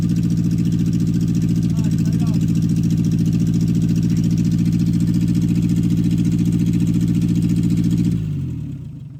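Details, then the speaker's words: 1964 MG Midget Mk II after 30 years sitting, about 38 psi oil pressure before revving: even, steady exhaust pulses at smooth idle, no knocks or misses, then clean shutdown; started easily, carbs still gummy. "good all right well there you have it uh she started surprisingly easy"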